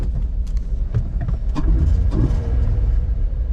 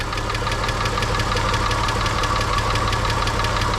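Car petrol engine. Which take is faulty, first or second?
second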